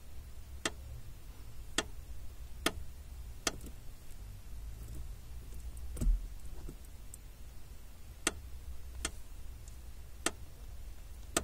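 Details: 2005 Honda Civic clutch pedal: door-like creak and sharp clicks about once a second as pedal is worked, felt at pedal; lubing failed; overtightened lower clutch master cylinder mounting bolt, fixed by loosening and retightening with less torque.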